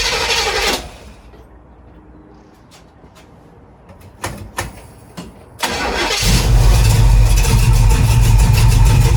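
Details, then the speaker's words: 1936 Chevy coupe after retarding over-advanced ignition timing by rotating distributor cap, curing its starting problem; brief cranking, catches cleanly and settles into a steady even idle: normal start and idle. "Okay, that was an easy fix. So thanks to all those who suggested timing. Obviously what the problem is."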